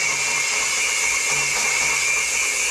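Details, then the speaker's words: Kawasaki FX730V V-twin rebuild: valve spun on its seat by a cordless drill at low rpm, steady high drill whine over a dry gritty hiss as it laps a new seat, normal lapping noise. "you hear that noise that's the case grinding a new Edge on the valve a new a new seat on the valves that's what you want to hear"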